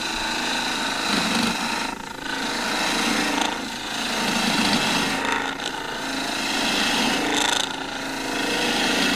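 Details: Turning a tool handle for a ¾" tang scraper from straight-grained old table-leg wood on a lathe with a 1" skew chisel: even crisp shaving hiss with soft rhythmic chatter; sharp chisel cutting cleanly.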